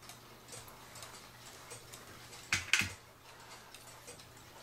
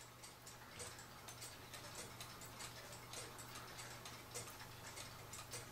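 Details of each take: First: Cuckoo clock after cleaning and oiling, once the wire behind the pendulum was bent to level the movement: an even, steady tick-tock with a couple of handling clicks. The clock is now in beat. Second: Cuckoo clock after cleaning and oiling, sitting level: light uneven tick-tock just under once a second, out of beat; it only ticks evenly tipped over. Fix is bending the wire behind the pendulum wire.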